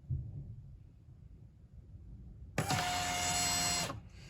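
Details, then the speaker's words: 2008 Arctic Cat M8 EFI snowmobile, fuel pump powered directly with battery leads while cleaning injectors/fuel system: steady high electric buzz for about a second as pump primes, then stops cleanly; normal running pump. "you'll hear the pump kick on and you swap them around and push the gas back into the tank and it sounds different when you do that and go back to normal"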